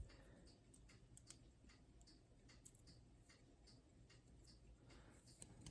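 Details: Westclox plastic alarm clock, very late-model movement with steel pillars, at most 30 years old, being diagnosed and repaired: quiet, slightly uneven ticking with low room hum; the beat sounds off, and the balance is suspected overbanked.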